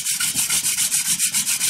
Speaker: now we have friction you can see it's starting to smoke